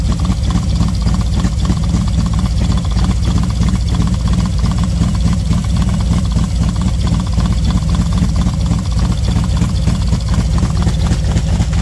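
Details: V-twin motorcycle with SS540 cam and valve springs, idling 10-15 minutes warming up at 40°F outside: smooth even idle, steady low beat, intake air hiss only, tick gone; healthy.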